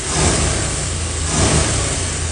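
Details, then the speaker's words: 1953 Ford Customline flathead V8, about 41,000 miles, new carburetor, electric distributor and ignition, timing set: deep, uneven, lumpy beat at idle and light revving; some cylinders show low compression, cause unknown. "there's not a lot of rust but it runs really rough and now especially at idol you can kind of see there's a little Shake but watch as I give it a little RPM"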